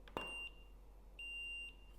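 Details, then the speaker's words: Neewer flash at full 1/1 power: a short crack of the flash firing, then a clean high recycle-ready beep of about a third of a second, repeating after a pause. Normal, fast recycle. "I'm leaving the beeps on so you can hear it I hope you can hear it that's pretty fast recycle"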